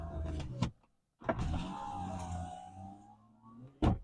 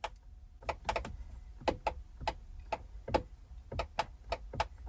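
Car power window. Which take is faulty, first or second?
second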